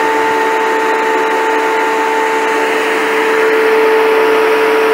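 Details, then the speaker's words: 1932 Ford sedan's electric cooling fan running on the car's battery and its proper earth: strong, steady, even whir with no rattle or labouring. It sounds more powerful than when earlier run from a battery charger; running healthy. "blowing good actually. I think I only tried it with a battery charger on before and it didn't sound very powerful, but that sounds pretty powerful now."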